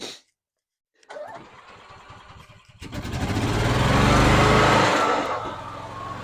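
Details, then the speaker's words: 2012 EZGO TXT golf cart engine, cold, just after new carb, fuel pump and filter, choke on: catches after a few cranks, surges and falls back instead of settling; rough cold running, too much choke or carb adjustment needed suspected. "oh well it runs now not very good let it warm up"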